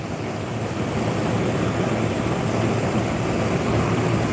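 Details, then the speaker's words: AC condenser after a replacement condenser fan motor was installed: steady rush of fan air over a low compressor hum with no knocks or rattles. The compressor calmed down once the new fan motor ran; normal running. "like that's how it was sounding earlier but I guess with the fan motor now running it calmed down a little bit and that's exactly what you want"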